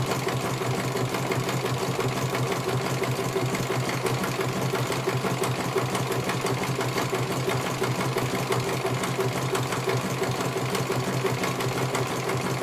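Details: CNY computerized embroidery machine being serviced, whose dynamo motor earlier would not turn: even, steady stitching clatter about one beat per second with smooth motor hum, no knocks or grinding; running healthy, one colour finished, judged very good.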